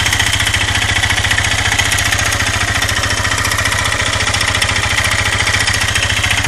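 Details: 2008 Suzuki LTZ 400 (K8) quad engine at idle: a loud hard metallic clack on every beat, about 3.5 per second. Teardown found the cylinder and piston scored with metal torn away on the exhaust side, and big-end play in the connecting rod.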